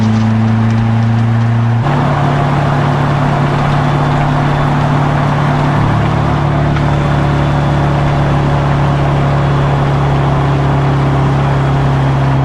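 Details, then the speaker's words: Detroit Silver Series 4-53T turbo diesel under load after the exhaust resonator change cured its 1600–2000 rpm drone: steady, soft running with no knocks, rattles or leaks, and the quietest cab sound it has had. "It's perfect now. The noise is gone, or the drone is gone. But it's so quiet now, you can't even hear the exhaust note."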